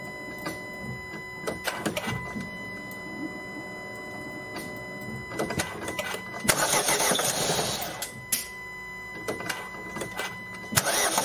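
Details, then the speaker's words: Ford 1.5 TDCi diesel, first start after a jumped timing belt broke rocker arms, bent valves and damaged the camshaft, all now replaced. It cranks and catches with uneven, stumbling firing and irregular knocks, not on all cylinders, because the fuel system is still full of air. "No i mamy to silniczek odpalił natomiast musiałem z co prawda początki efektu odpalania były takie dla niego tragiczne jakby nie palił na wszystkie No ale siłą rzeczy był bardzo zapowietrzony"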